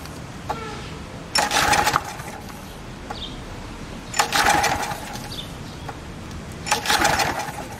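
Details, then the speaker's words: Briggs & Stratton engine on Ex-cell VR2500-1 pressure washer, fuel poured into the spark plug hole: three short firing bursts, each catching about half a second then dying; suspected lack of steady fuel supply, not confirmed. "hey this wood I figured out so you know you saw it ran for a little bit I put fuel directly into the spark plug chamber that means it wants to run and can"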